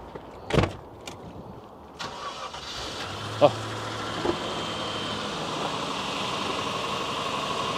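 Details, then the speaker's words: Land Rover Discovery with Buick-derived engine, 139,000 miles: brief crank, then catches and settles into an even, steady idle with no valve clatter; a slight tick noted that then went away; normal start and idle. "No valve clatter. Sounds good. What do you think?"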